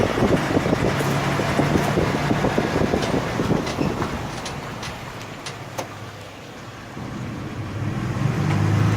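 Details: 2003 Ford E150 V6 van running with an uneven knock about three per second plus a tinny rattle from a loose exhaust heat shield; the knock's cause is undetermined.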